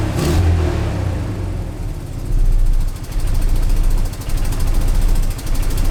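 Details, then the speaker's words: 1999 Ford Ranger 2.5 four-cylinder after fitting new coil packs, spark plugs and plug wires, still running badly. A loud, deep engine note has an uneven, lumpy pulse and surging level under light revs; the cause is not yet pinned down. "Okay, guys. The truck runs, but terribly."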